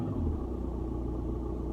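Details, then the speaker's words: 2007 Audi A4 S Line Estate 2.0 TDI automatic, bought broken: the diesel starts and revs with a steady, even rumble and clean response, no knocks or misses. The car later fails to move in drive. Normal diesel idle and rev. "anyway it starts there you go revs really nicely no"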